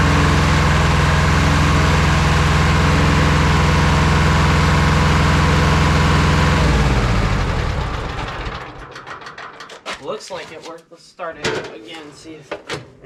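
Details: Roughly 40-year-old Hinomoto diesel tractor, first start in years after new starter, wiring and ignition: steady even chug for about seven seconds then shut down; runs well.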